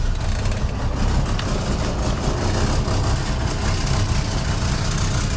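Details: 1968 Rover P5B Coupe V8 at first start after wiring harness replacement, aftermarket Facet electric fuel pump fitted, oil pressure normal, alternator charging: deep, steady even idle with no misses, knocks or rattles; healthy.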